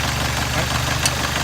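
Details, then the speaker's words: 1971 Alfa Romeo GTV at idle during a pre-purchase inspection: a heavy, dull, diesel-like knock under the engine note. It was loudest at cold start and lessens as the engine warms but remains; the source is unclear, with no oil in the coolant and no smoke. "When I first started the engine, it almost sounded like a diesel. So it was kind of noisy as far as like a heavy knocking noise. As it warms up, that noise is now dissipated somewhat, but it's still apparent there."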